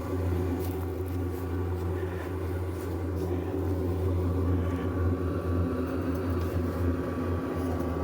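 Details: RV furnace after repair, heard from outside with the cover off: fan and burner both running and hot (previously the fan started then shut off), even low hum with light handling knocks; normal furnace operation.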